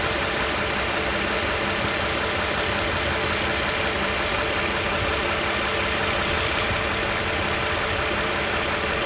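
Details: 2015 Toyota Sienna SE with 71k miles: a steady idle with a busy, diesel-like rattle at about three per second; source unclear.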